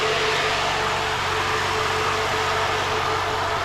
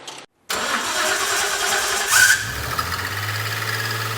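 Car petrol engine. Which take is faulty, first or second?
second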